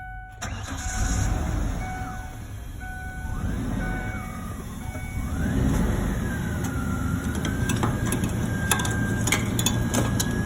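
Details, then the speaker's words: 2002 Ford Explorer two-door after fuel pump repair through a cut access panel: starter cranks briefly, engine catches within a second and settles into a steady, even idle with no stumbling; successful repair, normal start and idle. "it's running i would say that's a successful repair guys"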